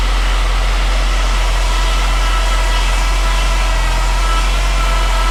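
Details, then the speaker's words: Saab 9-3 Turbo after a Liqui Moly engine flush and oil refill, first start: loud, even idle with a thin steady whine and no rattling or tapping. Oil pressure light off. Power steering pump whine; owner plans to add power steering fluid. "hear a power steering whine, but it's not rattling. Oil pressure light is not on."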